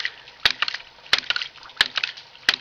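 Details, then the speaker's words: Gravity-powered ram pump built from common pipe fittings, no external power: sharp valve clacks repeating steadily about every two-thirds of a second over running water as the valve is cracked open and it starts pumping; normal operation. "Now we'll crack this valve here, and you'll hear the second valve start clicking."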